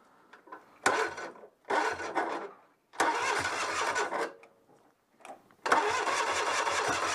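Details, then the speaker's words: Citroën 2CV AZLP6 engine on test after centrifugal clutch install, wired direct without ignition key: several short bursts of old-style starter whirring, then it catches and runs loud and steady without exhaust; works perfectly. "ça fait le bruit du démarreur suis vraiment à l'ancienne façon"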